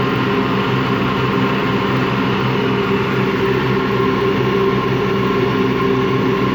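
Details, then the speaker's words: Washing machine run empty on rinse and spin: steady low growl with faint hum, no knocking; drum not loose, owner suspects worn motor or drum bearings, spin not reaching full speed at the end; unconfirmed. "yeah, so there's either it's motor bearings or drum bearings are worn, and that it not quite can put up the right speed in the end of the spin."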